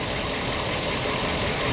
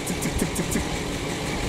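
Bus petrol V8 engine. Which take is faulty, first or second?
second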